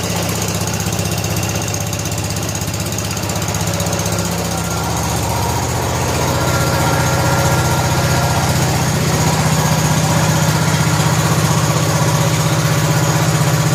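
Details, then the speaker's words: 1970 John Deere 140 H3 garden tractor, run after being freed up to warm the transaxle oil before an oil change: a steady, even low thump that creeps up slightly as it warms, no misses or knocking. It idles smoothly. "So we'll run that for a while and get the juices flowing in the transaxle."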